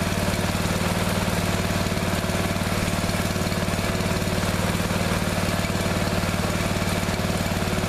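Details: Neglected riding mower revived, after replacing fuel line and clamps, refitting shutoff and filter, fresh gas, jump pack on weak battery: steady, even single-cylinder thrum at constant speed, no misses or knocks; runs perfectly now.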